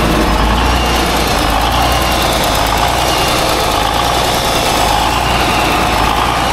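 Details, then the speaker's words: Small-cam Cummins diesel, not run for several weeks, rough idle with vise grips on the throttle: a light, fast tick from the back of the engine. Owner fears the cam followers are wiping lobes; overhead to be set, cause unconfirmed. "I'm really concerned about a tick that is back here, and that's a really bad thing, and a small cam Cummins."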